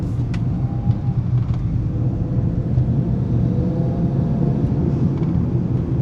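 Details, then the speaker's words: BMW 335i N54 after alternator, water pump, gaskets, walnut-blasted intake valves and catch can: steady low drone at about 2,500 rpm with faint intake and blow-off valve whoosh; healthy. "Oh wow, even just 2,500 RPM. I could hear the intakes in the blow-off valve. Ooh. That's why you own a turbo car right there."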